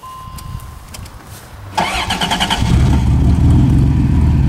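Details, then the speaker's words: Van project, freshly power-washed interior: brief starter whir, engine catches at once and settles into steady even idle; starts right up, though it needs a little gas once in a while. "starts right up oh you have to put a little gas on once in a while"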